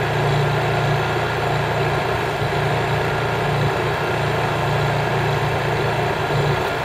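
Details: Honda EU3000is generator (new, GX200 engine) running in eco mode with no load after buffer use; even, steady low hum with no surging, misses or knocks, very quiet normal running.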